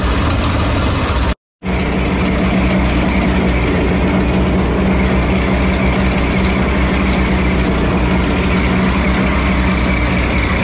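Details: 1950s Ferguson TO-30 tractor after ignition wiring repair, started to warm up before an oil change: steady, even low rumble for ten seconds with no stumbles or knocks; normal idle.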